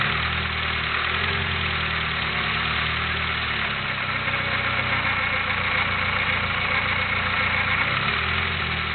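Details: Nissan SR20DET at idle only: steady rough, gritty grinding with a faint high ring, pinpointed to the front of the cylinder head where the VTC sprocket sits; cam timing sprocket suspected, not confirmed.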